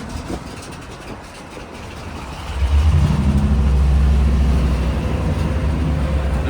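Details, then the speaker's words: Auction-bought 1998 C3500 HD 454 V8 bucket truck, first start after probably four years sitting: uneven idle, throttle blip, then a lumpy, hunting idle. Owner thinks it's relearning; a massive leak up front, possibly coolant. "So a couple times short system is still super super super nasty. Attack is definitely wrong. situation. It's trying to relearn which I guess is normal since uh it's been asleep for probably four years if I had to guess."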